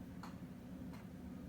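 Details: Antique clock on a second try following a miscounted 5 o'clock strike: crisp even ticks about two-thirds of a second apart in a quiet room; beating steadily, normal ticking.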